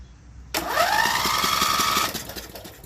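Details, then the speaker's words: Used Craftsman riding mower with spark plug removed, belt off: starter spins the engine freely and evenly at a quick whirr with no labouring; it stalls only with the plug in, traced to a malfunctioning camshaft compression release, not battery or starter. "with the spark plug out. Watch how it spins. Spins fine"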